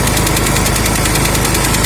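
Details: Huter SGC 6000 at 72 engine hours (71 h 55 min): a steady engine run with a dense, fast knocking at constant speed. The abnormal, mysterious knock returned; its source is not pinned down.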